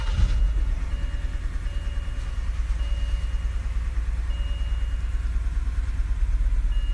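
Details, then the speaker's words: 2007 BMW 325i E90 after seven months unused and alternator replacement, idling with low, uneven lopsided stumble: misfire on cylinder 6 from failed ignition coil and spark plug; replacing them cured it. "So it's still misfiring. This is what it sounds like."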